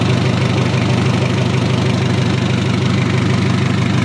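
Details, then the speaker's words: Mitsubishi L300 diesel (post-2010) after engine overhaul, 12 mm rotor head and Panther 2.3 cam plate in injection pump: even, steady idle clatter about three beats a second, oil up to the top end, no loose knock; normal idle. "sudahudah naik oli sudah naik ke atas suaranya anteng adem kemleeteknya juga dapat beda untuk suaranya pakai rotor head 12 mili"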